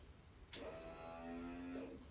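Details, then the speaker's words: BMW R1200C motorcycle at key-on after replacing the fuel pump, before refueling: steady high whirr for about one and a half seconds then stops, normal fuel pump priming that was missing before. "There we go. That's the noise we didn't have at the beginning. So, there's the fuel pump going."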